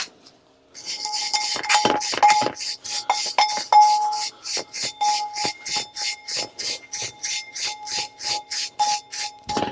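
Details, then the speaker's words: Brake drum off a 453 EQ during repair, tapped: each tap gives a clear, lasting ring at steady pitch rather than a dull thud, meaning the drum is sound and uncracked. "worth noting that the brake drum, well, if it makes that noise, if it makes a nice ting noise, it means it's fine. If it makes a dull thud, then it's broken."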